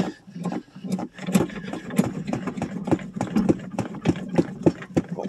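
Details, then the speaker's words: 1985 Chevrolet Suburban, cold start in snow after sitting a month and a half: slow labored uneven cranking under two turns a second, never catching; battery too weak to spin the engine, jumper cables or charger needed. "my batter don't sound very good uhoh well better is going to hold [Music]"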